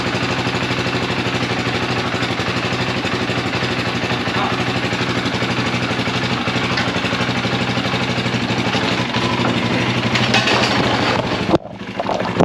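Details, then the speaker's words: 2004 KTM 450 EXC single-cylinder, kickstarted as battery is dead, fuel leaking from suspected dried-up carb: steady fast-idle thump runs on despite the kill switch, then stops abruptly; owner suspects a bad ground, coolant leaks too. "So I got a bad ground somewhere. Yeah, I was hitting the kill switch, it wasn't working. Odd."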